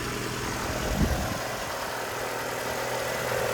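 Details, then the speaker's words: 2002 Hyundai Accent, just started, idling under open hood: even hum with a faint puffing tick; owner suspects an exhaust manifold leak, possibly valve tap, unconfirmed. "It sounds like it has an exhaust leak. And here, back here, there's a little valve. Almost sounds like a valve tap, but it's more or less sounds like a manifold leak."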